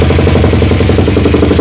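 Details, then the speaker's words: Suzuki Satria FU single, after a Shogun CDI was fitted: a fast, hard, uneven clatter of roughly a dozen beats a second at idle, said to sound much worse. Rough running; cause unconfirmed. "Lur jadi suaranya seperti itu ya seperti itu ya ini suaranya jauh lebih parah"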